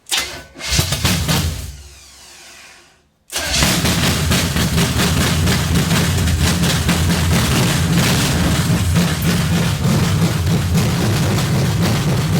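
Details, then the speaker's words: 454 big-block V8 stored about 20 years, first start after install: after a short crank it fires loudly and settles into a deep, steady, lumpy idle about four beats a second; it may have a cam. "nothing sounds better than a big block it kind of sounds like it might have a cam in it definitely blew some cobwebs out of it"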